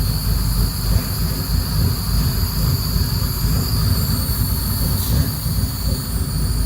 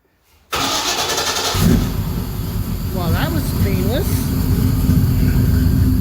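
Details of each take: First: Second start of a freshly built engine, cold, during a vacuum check. It ticks over slow and heavy with a deep, uneven rumble at about 550 rpm, below a normal idle of around 625–650; the idle is still a little low. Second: Engine's start, cold, after the fuel pump fuse was refitted and the pump primed; there is no driveshaft and a leak was noticed. Brief crank, then it catches at once and settles into a steady, even run that slowly builds: a clean, healthy start.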